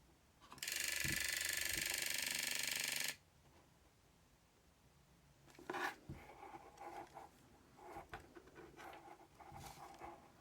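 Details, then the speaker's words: Aiwa AM-F75 MiniDisc recorder, disc inserted and lid closed: the laser sled moves, then a hiss and irregular small ratcheting clicks and knocks as the mechanism struggles to play; cause suspected, not confirmed. "so I've put the dis in you might be able to hear it when I close the lid the the sled does move then we get that vibration"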